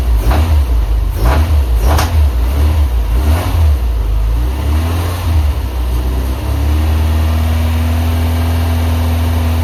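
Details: Honda Civic on a newly loaded base map, after a new coolant temp sensor, ignition control module and rotor: sharp pops and bangs at certain rpm when revving, then a steady idle; the owner hopes it irons out with driving.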